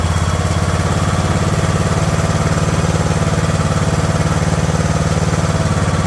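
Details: Craftsman LT2000 riding mower, single-cylinder engine at a slow idle after the throttle linkage was straightened to allow slower idling: low, even putter with no misses, surging or knocks; normal idle.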